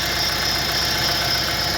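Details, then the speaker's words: Renault Master at idle: a thin squeal comes and goes over a light rapid knock. The pump has already been replaced; a pulley is suspected. Cause unconfirmed. "Então galera esse ali é o barulho ali não sei o que que é já foi trocada a bomba tem alguma polia ali que tá tá fazendo aquele dia"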